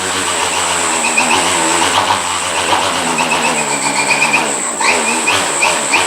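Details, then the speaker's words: KDE Direct XF UAS electronic speed controller driving a brushless motor and propeller on a dynamometer: prop whine swoops up and down quickly as throttle is snapped, clean with no stutter or crackle; normal fast throttle response. "now listen for how quick you'll hear the motor reactor you hear up fast that is pretty incredible really this actually makes so much power it knocks the linear guide on the way"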